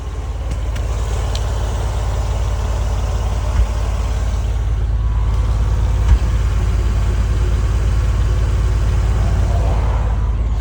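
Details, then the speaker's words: Acura MDX at idle: deep, uneven chuffing rumble with puffs of escaping pressure; clogged, busted catalytic converter leaking exhaust, smoke visible where it should be, vehicle bought without pre-purchase inspection. "Catalytic converter is clogged up. You can hear the noise, pressure."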